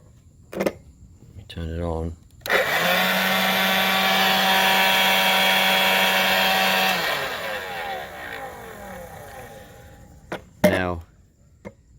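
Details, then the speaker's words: Black+Decker 20V cordless blower: steady high squeal over motor rush for several seconds after switch-on, then fading as it winds down; persists despite spraying WD-40, cause unclear. "squealed. I've sprayed WD-40 in it, and it just keeps going."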